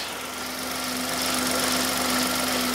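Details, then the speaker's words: 2015 Hyundai i10 1.0 petrol idling: steady hum with persistent airy 'shush shush' hiss, still present with auxiliary drive belt removed, not a rattle; suspected stretched original timing chain, replaced. "a noise so you've done some Diagnostics and you've taken a belt off I've took the belt the auxiliary drive belt off and it still does it"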